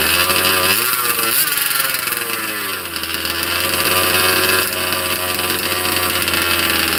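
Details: Cold 2-stroke engine in a 30 Degrees North 5th-scale RC truck, unrun for 2–3 weeks, started without choke: crisp buzz picks up with a couple of quick revs, then settles into a steady, even run; healthy.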